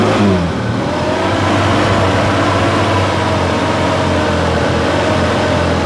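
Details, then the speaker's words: Suzuki Jimny Katana with ignition points (platina): petrol engine revs but stumbles and hesitates instead of pulling smoothly; the points were found worn and are to be replaced. "Ini suaranya kayak tersendat, bro."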